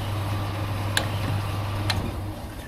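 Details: Baumatic BD45 4.5 kg clothes dryer after replacing the failed fan belt and near-dead motor start capacitor: steady low motor hum holding even speed, a couple of light drum ticks; motor now starts and runs normally.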